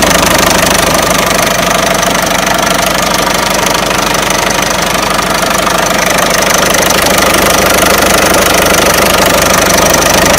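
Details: Peugeot 307 1.6 90 hp engine at idle: crisp regular ticking knock about three per second in steady time; owner asks where the engine knock comes from, source unknown.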